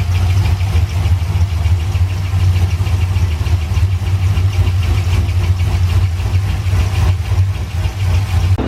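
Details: C6 Corvette engine at idle during valve train inspection with rockers checked; fast light tick about three per second over the rumble; owner first suspected rocker, lifter or pushrod, now suspects the intake manifold; cause unconfirmed.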